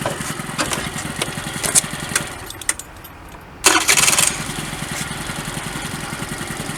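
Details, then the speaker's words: Honda Dio 34 two-stroke scooter, after near-complete rebuild (worn parts replaced, rear brake pads), frosty weather: even, steady putter with a short throttle blip, no knocking; starts and runs perfectly, normal idle. "скутик заводиться все чудово робить як Годинник"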